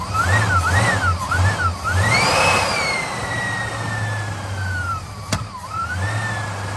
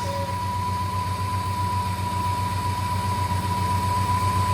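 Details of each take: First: 1958 Studebaker Golden Hawk: starter churns steadily over a warbling background tone, engine never catches; has fuel but it isn't reaching the carburetor bowl. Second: 1958 Studebaker Golden Hawk after adding fuel and repriming, fuel in the accelerator pump following float bowl priming trouble: steady, even idle with a smooth low pulse about four beats a second and faint constant tone; normal idle.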